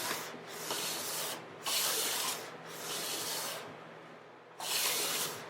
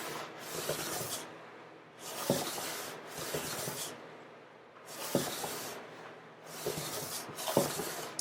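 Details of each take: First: Hand plane on a guitar top-plate joint after hollowing the center, full-length passes: long, even shearing strokes show the blade contacting the whole length, hopefully a finished joint ready to glue. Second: Hand plane on the top/back joint of acoustic guitar plates, blade gradually extended: soft hissing strokes turn louder and grittier as the blade starts catching at the ends.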